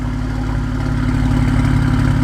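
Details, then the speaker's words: BMW E90 335i turbo six, cold, just fitted with a new VRSF exhaust: revving with a lot of turbo whoosh and an uneven stumble in the exhaust note; definitely misfiring, felt as well as heard. "You can hear a whole lot of turbo, but it's definitely misfiring. So as you guys can probably hear on the video, it's definitely misfiring."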